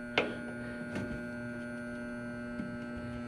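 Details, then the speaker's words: Reznor hanging heater with no heat: combustion blower motor hums with 117 V applied but won't turn, no airflow, a couple of faint clicks; seized combustion blower motor. "all right guys i don't know if you can hear that but she's a humming and she's not wanting to turn so it's gonna be a combustion blower"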